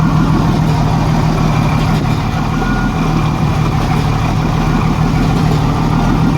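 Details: 1987 Jeep Cherokee Renix 4.0 rough idle: a steady low idle with a lumpy beat as one cylinder drops out. The cause was a sticking valve or bad lifter, since the cylinder 6 exhaust rocker moved less. Loosening that exhaust rocker bolt made it run smooth, with a slight tick remaining.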